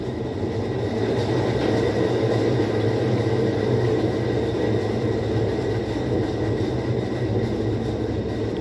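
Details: Whirlpool 17 kg washer that fills then stops washing, during the automatic test: an even, steady hum with a constant tone and no knocking or scraping. The drum spins smoothly.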